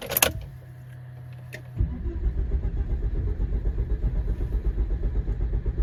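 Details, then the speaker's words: High-mileage Volvo XC70 P2 2.5T petrol, cold morning start: the starter cranks a long while before the engine catches, then settles to an even idle; the repair fixed the engine light and misfire but not the long crank; cause not found. "Yeah, as you saw it, well, it hasn't fixed it. At least not the rough starting because in the morning, as you saw, it is still starting very poorly."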